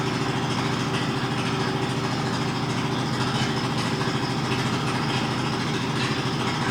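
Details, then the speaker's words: Mazda RX-8 rotary, hard cranking with no start: steady cranking at roughly two turns a second with an uneven, labouring beat and no catch. Throttle changes the cranking tone; owner suspects it needs plugs or isn't getting enough fuel. "myself think that it either needs plugs or it's not getting enough fuel, because I can hold the gas down as I'm cranking it, and that shouldn't really matter, but you can actually hear it as the more you press the gas, the more it changes the tone of the way it's cranking."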